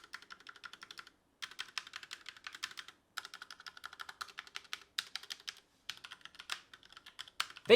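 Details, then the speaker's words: Tecware Phantom L low-profile mechanical keyboard with Outemu red switches, stabilized keys: quick bursts of clean, even clacks with no notable rattle; the stabilizers sound good, though the space bar rattles slightly in some spots. "actually were really good better than i actually expected"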